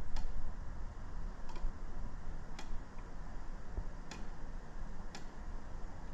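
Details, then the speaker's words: 2005 Toyota Matrix 1.8L manual with a no-crank, no-start condition, starter relay bench-tested with power applied to the coil: sharp dry clicks about one a second with no motor behind them; the coil pulls in but the contacts show no continuity. "we can hear some some noise once I get it's clicking but there's no continuity there"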